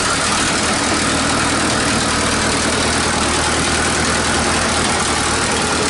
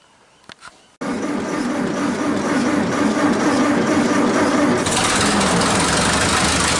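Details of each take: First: 1947 Nuffield grader revived after 20 years parked: loud steady idle with sharp raspy hiss and chuff over the exhaust note; exhaust leaks need fixing, engine also runs hot. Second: 1947 Nuffield grader, parked about 20 years, freshly fuelled: engine catches on the first crank and settles into a steady, even running beat with no knocks or misses.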